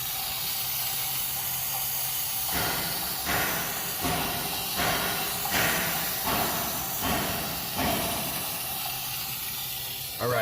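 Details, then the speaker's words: 2006 Ford 6.0 Powerstroke, 139,000 miles, crank no start, valve covers off, high-pressure oil rail air-checked near 120 psi: steady hiss with louder puffs about once a second heard on one side only; standpipe suspected leaking. "you should be able to hear that hear what that sounds like that is air pushing out so the fact that you can hear it on this side and not the other side tells me that most likely we have this standpipe here is probably bad"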